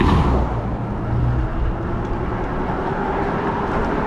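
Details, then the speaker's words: E-bike ridden outdoors after replacing pedals: only low wind and road rumble, pedaling now quiet with no squeak; the squeak came from failing pedal bearings, not the bottom bracket. "so it feels kind of weird riding the seike without a squeak squeak noise and I'm sure it's kind of re relieving or refreshing for the viewer for you the viewer not to have to hear the squeak squeak squeak every time I pedal"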